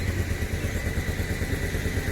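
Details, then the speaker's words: Toyota Land Cruiser 80 Series (around 1992, second engine) running badly after a beach drive; low, lumpy misfiring idle with uneven thumps and clatter. Not overheating, but white residue under oil cap; owner suspects blown head gasket. "so this kind of happened coming back down the beach and here it's running badly"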